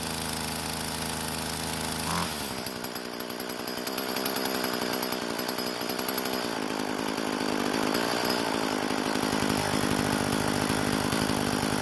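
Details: Craftsman two-stroke trimmer that wouldn't start due to broken fuel lines, after fuel line repair: silent start then a sharp buzz catching and holding a fairly steady, slightly uneven speed; runs normally.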